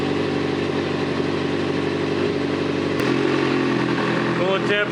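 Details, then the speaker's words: Kawasaki ZZR 600 with a rebuilt replacement engine and a stainless 4-into-1 exhaust, first run while warming up: a steady, even idle with a smooth exhaust note and no knocks or misses; normal warm-up idle. "Engine sounds good. I love this stainless 4 to1 exhaust I put on this bike."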